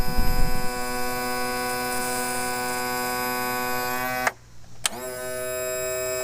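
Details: 2000 Yamaha 60hp outboard tilt and trim after repair (ATF+4 added, loose mounting bolt tightened, manual release valve found open): a steady electric motor hum that pauses and restarts cleanly while cycling, so the trim is operating normally.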